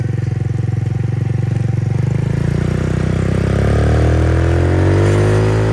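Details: Roma150 (MotoBravo) scooter-engined motorcycle, 1,098 miles: even putter rising smoothly with revs, no popping or stumbling; runs cleanly.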